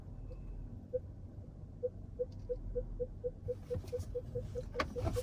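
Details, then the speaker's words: Range Rover plug-in hybrid parking in full EV mode: short mid-pitched beeps in a steady string, edging slightly faster, over a quiet background; the normal low-speed warning sound, as no exhaust is heard. "that is the full ev mode going and that's a little uh radar sensor because it is quiet there's no uh no exhaust going so that's the uh same button or same sound as the uh i-pace makes when it's backing up"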